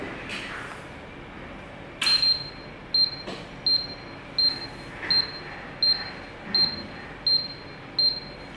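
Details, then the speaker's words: Water heater with its earth wire deliberately disconnected: short high-pitched warning beep repeating about every 0.7 seconds, signalling the earth wire is not properly connected; at first switch-on there was no beep, only the ESCB light. "Okey, anda boleh dengar dia ada bunyi ya. Okey, permulaan tadi masa saya on dia tak ada bunyi ting tu, tak ada ah."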